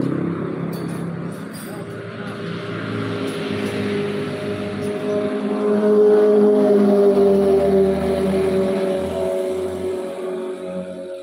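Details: Honda Beat scooter after the worn engine bearing was replaced and oil changed: smooth, even engine note climbing gently with throttle, no knock or rattle; running clean and healthy.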